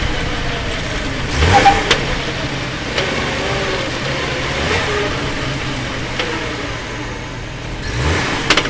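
Several dull clunks come with each blip of throttle, a few seconds apart over a low engine hum; something is clunking under load.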